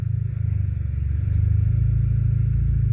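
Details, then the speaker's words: DSG7 DQ200 with a new clutch during basic-setting clutch adaptation, foot on the brake, downpipe and no silencers. The idle rumble swells and settles as the gearbox engages gears, which is normal during adaptation. "You can hear the idling changing a bit, and it's trying to engage gears. It's trying to check, make sure that everything is okay."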